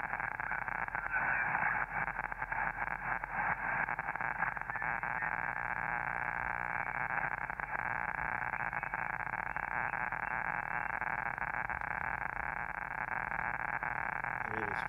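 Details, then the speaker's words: Newly built Elecraft K2 shortwave receiver tuned on the 40 m band through an antenna, noise blanker not yet installed: steady hiss with rapid crackling; intermittent neighborhood noise of unknown source, suspected electrical interference. "that noise is horrific tonight I can't do anything about it that crackling his noise in my neighborhood I don't know where it's coming from it's there often it's not always there sometimes it just goes silent"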